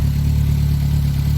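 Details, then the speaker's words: Reliant Robin at idle after charging-problem repair, with a high-amp heater switched on as load: deep steady idle hum, even pulse, engine note drops slightly, no knocks or squeals; charging well under load. "i know you can't feel the heat well i can you hear the engine drop anyway so it's generating lovely yeah brilliant excellent charging"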